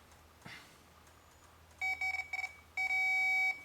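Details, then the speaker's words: Continuity tester (power probe) on a 1997 Ford Ranger door, clipped to a door bolt for ground; a few short chirps then a long steady beep confirming a good ground while diagnosing power door locks and mirror switch. "okay I got a good ground now"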